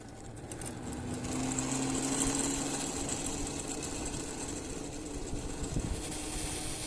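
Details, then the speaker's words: LEM electric scooter after battery disconnected over a day to discharge the controller: thin droning tone swells on take-off with faint rough grind beneath; drone persists, first repair attempt failed, cause unknown. "the sound is still not fixed yet the sound is still not fixed that you can hear the sound when I'm taking off"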